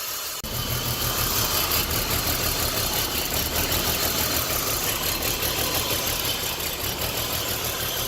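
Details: 2006 BMW 325Ci with a P0300 random misfire at idle: an uneven, stumbling beat about three per second; coil two is weak, but the cause is a damaged oil separator causing excessive crankcase vacuum, an internal vacuum leak.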